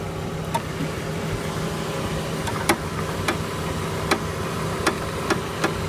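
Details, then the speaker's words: 2007 Chevy Aveo, front driver's side, wheel turned at idle: sharp dry cracks, about eight in six seconds; worn front sway bar link ball joint causing cracking/grinding when turning. "but it's kind of like a ball joint at the tip, so as it ages, it wears out. So what she's going to do is she's going to turn, and you can hear it crack."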